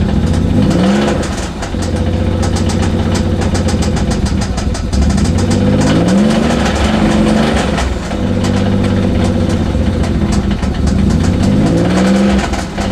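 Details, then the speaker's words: Nissan Z32 with DE engine swap, 5-speed, sat years after suspected rod knock: lumpy idle with irregular knock coming and going; mechanic doubts rod knock, suspects head or bell housing. "The inconsistency of the sound and the type of sound and just the whole thing about it makes me believe that it's something other than rod knock."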